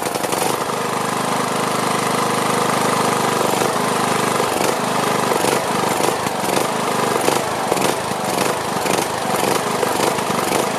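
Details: Briggs & Stratton Platinum 21hp mower engine, once repaired for camshaft problems, just restarted with fresh oil, gas and battery: speed rising and falling in slow pulses; surging, owner suspects carburetor needs cleaning though it looked clean.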